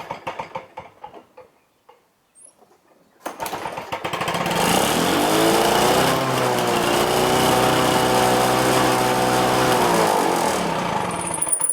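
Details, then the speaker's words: Lawn-Boy DuraForce engine on first start with a new Chinese aftermarket carburetor, full choke and four primes: screams to a high, sustained buzz, running far too fast, after already being turned down 7 or 8 clicks; would have blown the engine. "This thing was way over revved. I already probably took it down about 7 or 8 clicks. That definitely would have blown your engine."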